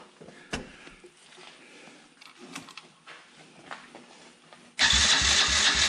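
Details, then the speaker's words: Can-Am DS90X quad after head porting, cam timing and Hetrick kit intake, carburetor and exhaust, choke on, fuel on, air filter off: loud cranking that never fires; no spark because intake-mounted ground wire was left off. "So I've been horsing around with it and I had no spark. And I guess this ground that was hooked to the intake is pretty important."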